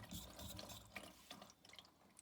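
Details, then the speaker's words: Furnace won't kick on, three red blinking lights; irregular gurgling and sloshing of trapped water over faint inducer fan hum, water sitting in inducer housing from a blocked condensate drain. "There's water sitting in this. So I'm pretty dang sure that's my problem."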